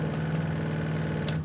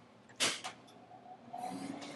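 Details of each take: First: 1956 Jeep CJ5 EV conversion, junkyard Prius inverter with Openinverter board, 120 A DC applied; steady buzzing hum, motor twitches but won't spin, then cuts out; resolver offset misaligned, being tuned in smaller intervals. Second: Half-horsepower three-phase motor, probably a 1947 milling-machine original, fed by a variable frequency drive converting single-phase: a soft hum and thin high whine shift in speed as the drive frequency changes, with handling clicks. Normal motor run.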